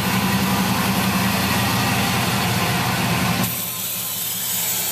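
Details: Vehicle suspension worked at a shop on a 34-degree morning: dry, rhythmic rasping squeak about four times a second, worsening over time, also on the right side; lower ball joints worn and dry, uppers not far behind.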